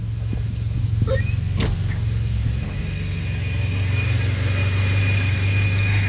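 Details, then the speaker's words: Volvo petrol engine idles with a steady, even low rumble and no misses or stumbles; normal idle. Elsewhere it has a bad bearing and a light ticking noise. "Idling really good, actually."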